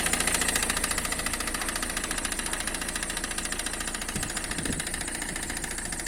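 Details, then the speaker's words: Citroen C5 2.0 HDi diesel, knock near right front wheel, suspected high-pressure fuel pump: sharp regular knock about three and a half per second over clattery idle; actually a failing crankshaft damper pulley, not the pump. "хочу сразу сказать что проблема данного стука это не насос высокого давления проблема в эфирном шкиве коленчатого вала"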